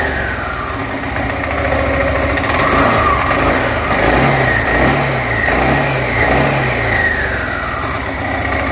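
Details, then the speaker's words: Suzuki Burgman 400 after swapping the old 3-pad clutch for a 5-pad clutch: revs rise and fall smoothly with an even drone, without the former metallic ting-ching under the belt; clutch engages cleanly. "Oh, that's 1,000 times better. I don't even hear the ting, ching, ting, ching, ting, ching, ching when those 3 would activate. That clutch sounds 1,000 times better than what was in there."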